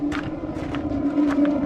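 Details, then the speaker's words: Propane burner on an old Coachmen Classic motorhome during renovation, just lit via its switch: steady hum with irregular puffs and pops, sputtering from air in the gas line, expected to settle; flue may need adjustment. "wow it lit i can hear it kind of sputtering a little bit because there was some air in the line"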